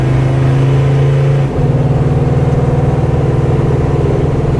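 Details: 1940 Chevy Master Sedan 85 with a roughly 20-year-old, well-documented build including frame and axles, while driving: steady, even low engine drone with a smooth pulse through a brief shift, no knocks or ticks. The engine is healthy.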